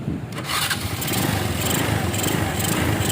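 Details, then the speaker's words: Minerva R150 SE 150cc motorcycle after the CDI, battery and rectifier were reconnected: the starter catches within a second and the single settles into a steady, even idle with no misfire, a clean healthy start. "Wow, bagus sekali. Suaranya bagus."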